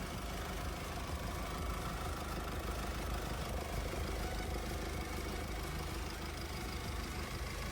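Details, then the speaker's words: Mercedes-Benz GLC 220 d 4MATIC, July 2020, 2.0 turbodiesel 143 kW, 9G-Tronic automatic, 249,000 km: steady even diesel idle with dense low rumble, no knocks, misses or hunting; engine untouched, factory condition, normal idle. "двіжок запускається з півоберта впевнено тримає оберти працює тихо і стабільно під капотом жодних слідів втручання стан заводський"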